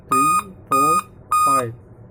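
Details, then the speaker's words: Dell laptop, model P24T, at power-on: clear high beeps of about a third of a second each, five in an even repeating pattern. A 5-beep POST error code. "मतलब अगर आपके del का laptop है और उसमें अगर इस तरीके से पांच बार बीप साउंड आ रहा है तो इसका सलूशन क्या हो सकता है"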